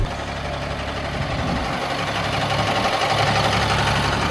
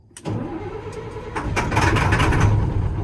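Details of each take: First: 2000 Stewart & Stevenson M1085A1 5-ton military diesel warm idle, air system aired up front and rear. Even clatter about four pulses a second, steady low rumble, no hissing air leaks; healthy idle, air holding. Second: 2000 Stewart & Stevenson M1085A1 5-ton military diesel truck in cold winter wind, jumped with a secondary 24-volt battery bank. Slow regular chug about 3.5 beats a second, never catching; owner suspects lost fuel prime.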